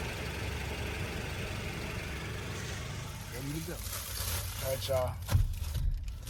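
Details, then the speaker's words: Honda Civic just after exhaust repair at a muffler shop: low, soft, steady idle rumble with no rasp or blowing; the exhaust is now sealed and quiet. "all right y'all the exhaust is done let's take a look at this and see how well they did with the exhaust it's like a brand new car y'all hear how quiet that is"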